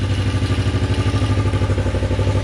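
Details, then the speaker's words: Bobber motorcycle project after carburetor idle fix, choke adjusted and coolant flush: even low thumping about eleven pulses a second, steady idle without hunting; no temperature reading yet. "But yeah, she idles. She seems happier."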